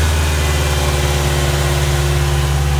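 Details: Ford Ranger 2.3 with rough, lumpy idle, stumbling and sputtering, despite cleaned MAF, new plugs, wires, coil pack, PCV valve and TPS, cleaned throttle body and air filter; disconnected vacuum line found; rough idle.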